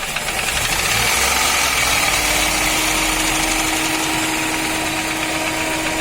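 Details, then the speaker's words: 2017 Ford Ka 3-cylinder at idle and light revs: hollow, uneven knocking clattering with each turn; teardown found worn piston skirts, with the cylinder possibly damaged and the rings possibly stuck; piston slap. "problema realmente tá ali na sai de tão né tá desgastada viu a saia do pistão e possivelmente talvez ali o cilindro já esteja danificado também né"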